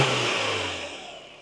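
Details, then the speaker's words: 2025 Toyota 4Runner just after a K&N 63 Series cold air intake install, started to check for leaks: revs cleanly, then settles with no hiss or whistle; normal start and rev, intake sealed. "All right, I don't hear anything, so let's go ahead and reinstall this factory duct."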